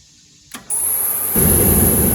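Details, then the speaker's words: Hot water pressure washer burner, after the fuel mist returned (suspected lost prime), is quiet, then clicks, hisses, and catches with a firm low roar; it lights cleanly and the new igniter shuts off after lighting, working as it should. "There we go. That's the way it's supposed to work. And if you can hear it, the igniter actually had shut down when it didn't light, and then it shut down again after it lit."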